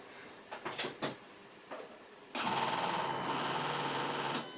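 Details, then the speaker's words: Electric fuel pump on '71 Gilbern Invader restomod (AJ30 engine, RX8 gearbox) at ignition-on after topping up low fuel: light clicks then smooth two-second steady buzz, no machine-gun rattle; priming normally. "Yeah, it is a fuel pump, but it no longer sounds like a machine gun."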